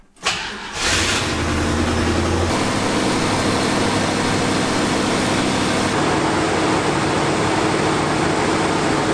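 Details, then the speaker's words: 1974 Ford F-250 Ranger Highboy, carburetor restoration, warming about two minutes: cranks, catches, settles to smooth even running on full choke; lean running and possible vacuum leak suspected once choke opens. "because you can hear it's running really nicely at this choke setting fully choked that's not an idle but it's you know running real smooth"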